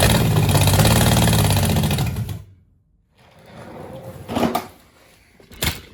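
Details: 1966 Chevelle small-block Chevy V8, long-sitting barn find: runs briefly with a lumpy, uneven beat and stumbles out within two seconds, not firing on all cylinders. Misfire because three spark plug wires were on wrong.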